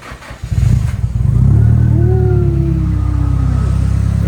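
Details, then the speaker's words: Nissan S15 with an SR20 on a first start-up after a wiring fix: starter churns briefly, then the engine catches, revs up smoothly and settles into a steady, even idle with no knocks or misses; normal start and rev. "runs runs it sounds good now"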